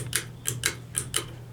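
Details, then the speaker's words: 2003 Hampton Bay Minuet II 32-inch three-speed ceiling fan on low speed: a low steady motor hum that is unusually loud for no apparent reason, with light ticks; a dryer runs in the background. "Low speed on this fan, I gotta say it's well, considering it's a small fan, it has like a fast low speed and yet the motor hums extremely loud for absolutely no reason."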